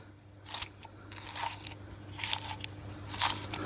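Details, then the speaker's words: Outer CV joint on an MG ZS / Rover 45, heard on the driveshaft flexed by hand during disassembly: dry, gritty click-click crunches in irregular bursts, having lost most of its grease; worn-out outer CV joint. "obviously this C CV joint is totally had it cuz when you turn that click click click cck and obviously it's lost most of its grease it doesn't sound too good when you're pushing it around"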